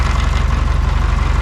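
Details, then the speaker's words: VW Beetle flat-four idles lumpy with a steady skip in the beat; misfire at idle, number three cylinder found dead, two and three suspected dead, from ignition wiring. "which hole was dead well number three is dead I'm guessing two and three are dead"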